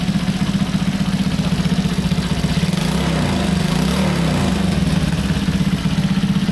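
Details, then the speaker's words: Honda C200 motorcycle at first start after a 12V conversion, exhaust loosely fitted: quick, steady put-put idle with an even beat and no misses, knocks or ticks, a little smoke clearing; running well. "sounds pretty well. Yep, headlights working, tail light working, all working. Yeah, nice. A little bit of smoky, should clear up."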